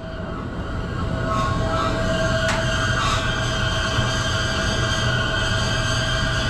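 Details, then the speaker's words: LG Multi V IV outdoor unit with CH26/CH29 inverter compressor overcurrent error, new compressor fitted: steady piercing screech over a low rumble, like refrigerant squeezing through an opening valve; exact source unknown, not confirmed. "to figure out what's that screeching sound it's like a valve one of the valves are opening and there's refrigerant squeezing through it just sounds terrible"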